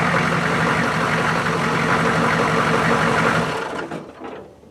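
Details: 1993 GM 6.5 Detroit diesel plow truck idling after an oil and fuel filter change: a steady, even clatter at about four beats per second with no misfire or knock, then it fades; healthy idle.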